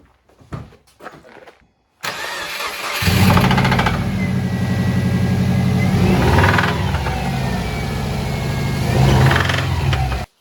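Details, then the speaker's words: Subaru WRX engine with known rod knock, reason the car was sold cheap: engine catches and revs with a hard, regular knock over the exhaust note that follows engine speed; worn rod bearing knocking. "Rod Knock is essentially when a bearing on the inside of the engine is out of spec and over tolerance and which allows the Piston to move around and create a slapping noise which sounds a little bit like this"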